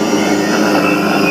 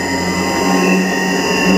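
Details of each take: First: Motor driven by an INVT CHF100A VFD after carrier frequency parameter P0.14 is raised from 1 to 8 and higher: dense, steady hum with only faint high tones, as the motor's carrier whine fades away. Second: Motor driven by an INVT CHF100A VFD with carrier frequency (P0.14) set to 1: loud, steady high whistle from the motor; raising the setting to 8 and above quiets it but makes the drive run hotter.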